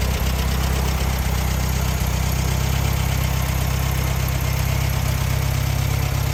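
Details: 1968 VW Beetle flat-four, engine out of the car, after valve adjustment to .006 in and compression test with plugs reinstalled: even, steady idle putter with no misses, knocks or ticks; engine running healthy.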